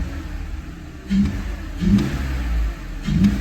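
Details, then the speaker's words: BMW E46 after a Vanos rebuild with new seals and an aftermarket air filter: three quick revs with a deep, even intake roar, each rising and falling cleanly with no knocks or rattles. Healthy engine. "I hear it sucking so everything under the hood looks good um intake sounds good"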